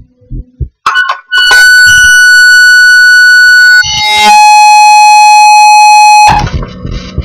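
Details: Hackintosh iATKOS L2 at bootup: two loud sustained tones, a high one for about two seconds then a lower one; caused by the VoodooHDA audio driver selected during installation, fixed by not selecting it.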